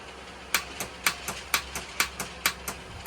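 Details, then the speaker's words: 2017-up Polaris Sportsman 850 High Lifter that won't start the morning after a normal ride. Sharp, slightly uneven metallic clicks about twice a second with no cranking. Starter clicks without cranking; starter replacement planned, though the simple things should be checked first. "you ever just like drive it forward one day and having a good old time, you know, riding, park it, go to sleep, wake up the very next day, go to crank it up, and it does some bull crap like this."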